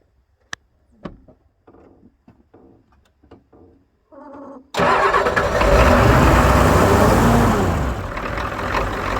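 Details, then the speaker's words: Ford 6.9/7.3 IDI diesel in about 10°F cold, cranking in bursts then catching and idling with a hard, even knock about four times a second while air is bled from the fuel system via the Schrader valve; cause uncertain. "You hear it knocking. Let it kind of pump up."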